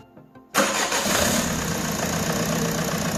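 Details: Peugeot 307 2.0 HDi diesel after replacing the leaking water-in-fuel sensor that let air into the fuel system. Silence, then starter catches and engine settles straight into a steady, even idle with no stumbling; normal start and idle.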